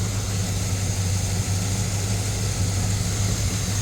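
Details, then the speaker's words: 1966 Oldsmobile Delta 88 just restarted after body-on-frame restoration, running on 30-year-old gas, smokes slightly, belts loose: low V8 idle with faint uneven lope; misfire only at idle, mostly gone at higher revs, cause unconfirmed. "Um, and it's got the miss is only at idle. Once you get up in the revs, it goes away for the most part."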